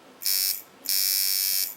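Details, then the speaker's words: Watson coil tattoo machine with an aluminium frame: two short, high buzzing bursts cut off abruptly as the armature pulls down magnetically and sticks, which is blamed on a faulty contact. "you see what I was talking about how it kind of went down magnetically and stuck there mean something's wrong WR here with mine it's the contact I can tell you that right now"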